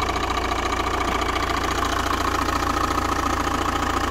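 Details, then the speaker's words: Vehicle with a noise that worsened over days, belt tensioner already found bad: a steady idle with a fast, even tick three to four times a second and a faint whine. The cause is a worn crank pulley with play in it. "i think i'm pretty sure this is the noise because there's some movement in it and if i hit it it's making that noise which is very similar to the noise the car is making"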